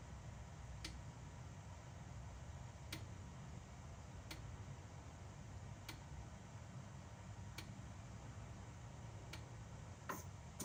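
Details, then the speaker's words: BMW E60 M5/E63 M6 SMG hydraulic pump during INPA bleeding after topping off with CHF-11S fluid, quiet room: sharp tick about every 1.5 seconds as the pump cycles; working normally. "So you can hear the SMG pump just making noises as it's working. So this takes about 20 minutes usually."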